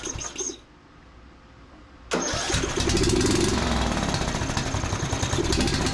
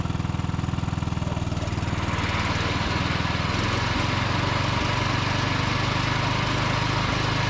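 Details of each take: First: John Deere D110 riding mower, started on a jumper pack with choke working, catches and runs rough with uneven popping and misfiring. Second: Steady, even engine note of a John Deere D110 riding mower as the deck engages and it drives off under load, no hunting or knocking, after plug tightening and carb richening; running properly.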